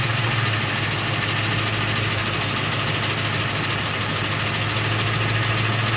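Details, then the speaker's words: 2007 Ford F-150 5.4L 3V at idle: fast loose metallic rattle like BBs shaken in a can, attributed to the VCT system, present for about eight years and not getting louder; oil pressure monitored, cause not confirmed. "it sounds like you've got bee bees inside of a metal can and you're shaking it back and forth violently and that's what this one sounds like and it still makes that rattle noise to this day"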